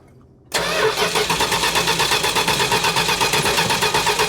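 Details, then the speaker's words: 1969 Plymouth Road Runner parked for decades, cranking steadily at a quick even rhythm with compression pulses but never catching; plenty of fuel confirmed, no ignition suspected, owner leaning toward the orange module box with an intermittent issue. "Okay, hold on. Nothing. I know we got fuel. Do that one more time. Yeah, there's plenty of fuel."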